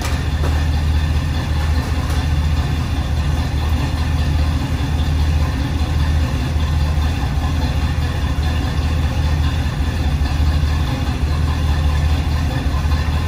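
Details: 1976 Chevrolet K10 Silverado V8 idling outdoors in wind after an NP205 swap, rebuilt transmission, new Warn lock-out hubs and a kick-down cable leak fix, before its test ride; deep even burble, steady idle, no stumbles or ticks, normal healthy idle.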